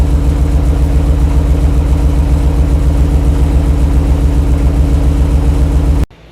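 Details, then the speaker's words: 1968 Ford Bronco, warmed up; radiator fan came on at 195°F cylinder head temperature; even, low idle thumping at steady pace with soft whoosh behind; smooth, normal warm idle. "so we're letting things get up to temperature kind of a makeshift system but test to see if that fan is going to come on so the fan has come on 195 degrees"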